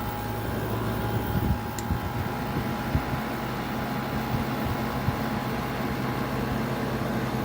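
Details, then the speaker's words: General Electric 5,150 BTU window AC, first run in a long time and only starting to cool: a steady low hum with a faint even tone. Owner first wondered about a lubrication issue but judges it a nice-sounding compressor, running normally. "it's a very nice sounding compressor i could listen to that all day"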